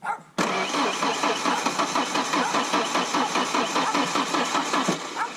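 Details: Ford Ranger, factory 2.3L engine with a 5-speed, just fitted with a 2.5L head after the old head's bad valve job left dead cylinders; starter cranks evenly at about two and a half compression pulses a second but never catches; cranks, no start.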